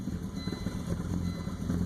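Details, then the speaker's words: 2000 Volvo V70 AWD turbo with the ETS light on: deep idle surging and sagging, rpm jumping around; the ETM throttle module is suspected, with no code found by a basic scanner, before a contactless ETM modification. "You can hear it idle and rough. You can see the idle jumping around on it."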